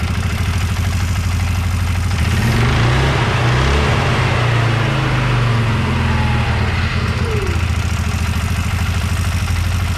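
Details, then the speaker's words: 2004 Can-Am Outlander 330 2x4, 4,000 miles, after replacing worn primary clutch levers, rollers and pins: revs briefly then settles to steady low idle with no hang-up; clutch no longer sticks off throttle, grinding fixed. "it definitely fixed the problem uh the clutch is no longer sticking as you let off the throttle and it idles down uh shifts smoothly from uh high in the gear and goes forward in reverse"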